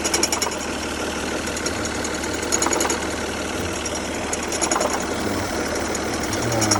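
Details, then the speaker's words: 2003 Saturn Vue engine idling with a harsh, raspy rattle and fast ticking at the front. The owner believes the AC compressor is shot, possibly the pulleys; the system was recently charged and the condenser replaced. Not confirmed. "I believe it's the AC compressor. The compressor is shot."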